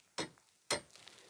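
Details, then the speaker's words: Opel Astra G: two sharp metallic clinks as the broken, loose hood prop rod moves and taps against the LPG system control module by the front panel. "Haliyle bu en ufak harekette buraya çarpıp da çın çın tın tın ses çıkartıyor."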